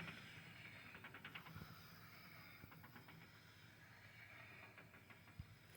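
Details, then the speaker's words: Differential with 4.11 gears, wheel spun by hand, oil recently changed, no pinion seal leaks: a light, uneven clicking seems to come from inside the diff housing and the wheel rotates irregularly; cause unknown; clicking noise from differential. "but can you hear that it sounds like it's coming from inside this pumpkin here let me spin this again it's like a clicking noise"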